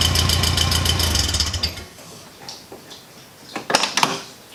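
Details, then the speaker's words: Porsche 914 project car (flat-four) revving after fabrication of a new exhaust system and muffler, fitted to quiet it and let the wideband read for tuning; a quick rev that settles, smooth and even with a deep burble, no knocks or rattles; a healthy engine. "you guys but I think it sounds really good I don't love the sound of Subarus and that was one thing with this cars I never wanted to sound like a subaru"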